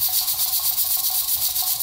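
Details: Pressure canner processing beef pot roast, near sea level, before a 1.5-hour timer: steady hiss with soft, even puffing as the regulator weight rocks gently; holding correct pressure.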